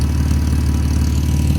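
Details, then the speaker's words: Buick six-cylinder petrol engine idling smoothly and evenly on all six after MS43 conversion and a vacuum leak fix; steady low hum, no misfire. "let's go so as you can tell and listen it's running smoothly on all six never done that before huh audrey"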